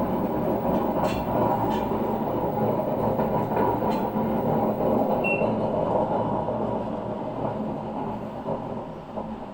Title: grinding noise from a washing machine drum coz of extremely worn out bearings